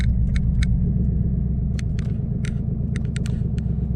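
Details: 2014 Mustang GT after a Boss 302 intake manifold install and a Bama SCT X4 93 tune: deep, uneven rumble that surges and lopes at idle and when revving, with clicks on top; rough lopey idle, cause unknown.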